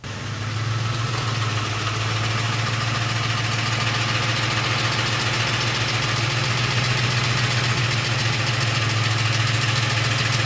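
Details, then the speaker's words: 2007 Ford F-150 5.4L 3V V8 at idle: fast tinny metallic rattle like BBs shaken in a can over the idle, VCT (cam phaser) rattle present for about eight years and not louder than before; oil pressure being watched. "and as you can see it still makes the noise I'm every bit as clearly as it did back then which you know should but it has not gotten louder which is a plus"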